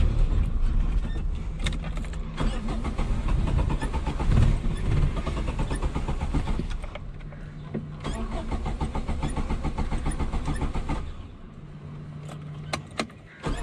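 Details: 1989 Suzuki Khyber/Cultus, G10 993cc petrol, 4-speed manual FWD: engine cranks, catches, runs roughly, fades and dies, then is cranked again; repeated engine stalling, cause unknown.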